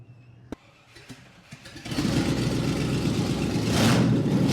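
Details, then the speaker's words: Rebuilt 1975 Land Rover Series III V8 started with no exhaust fitted before a new performance exhaust: after a few clicks it catches and barks loud and raw, harsh crackling roar straight from open manifolds. "So, I'm obviously buzzing to see how this is going to sound with its new exhaust, but it'd be kind of rude not to fire it up with no exhaust on at all, wouldn't it?"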